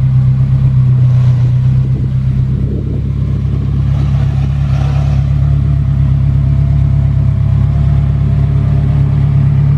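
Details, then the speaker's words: Hybrid vehicle engine started after its battery ran out on electric: steady low drone with a slight rise in revs and no knocks or rattles; healthy normal running. "Alright, start the engine. That's how good this thing sounds."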